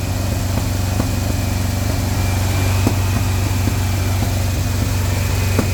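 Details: Steady idle with an uneven lope and a sharp puff every second or so during a break-in run: one cylinder misfiring, traced to a faulty #4 spark plug wire.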